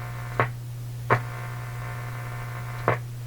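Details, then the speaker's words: Canadian General Electric A55Z radio before capacitor replacement; steady low hum that stays constant whatever the switch or band position, source still unknown, electrolytic capacitors to be checked next: mains hum. "the hum is always there nothing is changing at all okay we I've heard the hum I have the hum go after this capacitor and see what happens"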